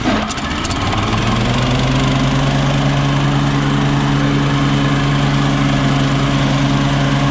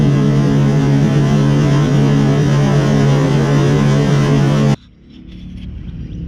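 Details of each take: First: Toro Turfmaster mower that knocked with the blades engaged, after replacing the deck belt with a stretchy rubber belt: engine and spinning blades hum with a smooth, even drone and no knock. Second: Toro Turfmaster mower with blades engaged, cover off: loose rhythmic knocking from the deck caused by a stretched deck drive belt with too much play slapping; blades fine, belt to be replaced.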